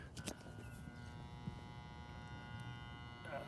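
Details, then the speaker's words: Out-of-warranty Performance Pro artesian pump, plugged in: steady electrical hum with a fine buzz, no rising whir and no water movement in the housing; motor is powered but stalled and not turning, cause not yet known. "it just sounds like a motor that's not turning that's got some electricity going to it I don't know if you can hear it or not but we're definitely not pumping anything"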